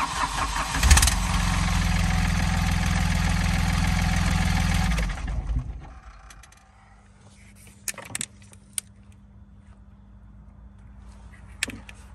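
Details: Smart fortwo 450 0.8 L three-cylinder common-rail diesel after replacing the crankshaft sensor to fix crank-no-start: starter cranks briefly, engine catches, revs up and settles to a steady idle, now starting normally.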